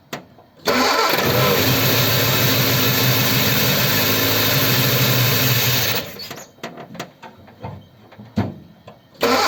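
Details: Ford 100E cold start after adjusting tight charging-regulator contact gaps; catches and runs evenly about five seconds then cuts out; spark present; engine stalls from fuel pump failure.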